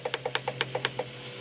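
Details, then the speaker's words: RV factory Jensen radio: quick, even ticking about eight times a second from the CD motor, which keeps running with the unit off and buttons ignored; suspected cause of the RV battery dying; the radio is being replaced. "you can hear it's like the CD motor is spinning or running even though I'm trying to I cut it"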